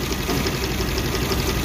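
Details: Suzuki APV (Mega Carry) that shakes, coughs and lacks power: uneven lumpy petrol idle with a shaky beat, a misfire from a failed ignition coil on one cylinder, found while testing cylinders one by one.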